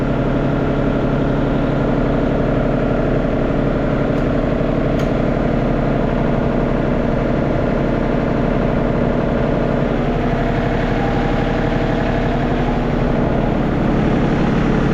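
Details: John Deere 4220 tractor diesel just restarted after replacing a transmission-line o-ring, oil deliberately underfilled: even, steady chug at settled idle, no knocks or misses; healthy running.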